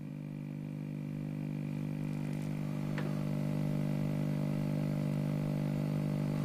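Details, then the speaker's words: 1944 wartime civilian valve radio after electrolytic capacitor and wiring work, with intermittent cut-outs: steady low, coarse, gritty buzz under the output, harsher than mains hum; source not yet traced. "hum but no buzzing sound there is a buzz there it's not a hum"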